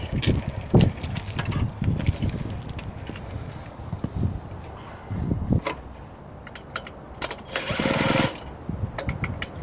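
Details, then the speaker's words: Garelli moped (possibly Brianza) with apparent Laura M48/M56 engine, drill-started: raspy two-stroke buzz in short uneven bursts with spitty popping; exhaust leaking from all directions and clutch not engaging. "so you can still see the exhaust leaks coming out from all directions and also the simple fielding flush doesn't seem to be engaging"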